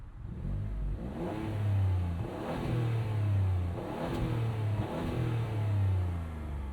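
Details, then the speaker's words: 2017 Ford Fusion Sport, 2.7L twin-turbo EcoBoost V6, 6-speed automatic, AWD, free-revved with door open: sweeps up cleanly and bounces off a soft limiter at 5,000 rpm several times; smooth, healthy engine. "Why don't we fire this up with the door open so you guys can hear this V6. Now, this car doesn't sound super runchy. That isn't really what this was about."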